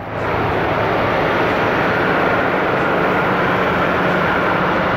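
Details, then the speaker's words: 1974 Dodge Winnie Wagon B300 van, first run fed from a boat tank through the tested fuel pump, with oil previously dumped in the cylinders. Steady, even low drone, no knocks or stumbles, while smoking off the oil. Normal idle. "yes sir she is smoking cleaning out all that oil I dumped in the the cylinders"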